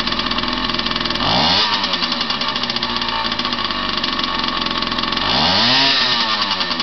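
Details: Unidentified vintage 50cc two-stroke trials minibike, just bought and got running, exhaust routed through the frame: buzzy crisp startup-test idle revving cleanly up and down twice without misfiring; healthy running.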